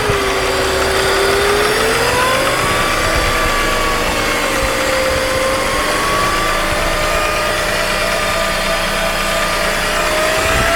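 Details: 2.2 L M54B22 BMW E46: intermittent thin whistle near the intake manifold, starting about 10 s after start-up and rising with rpm; comes and goes over days. Vacuum-leak codes 203, 204, 227, 228 earlier; oil separator, its hoses and last intake duct already replaced. Cause unconfirmed.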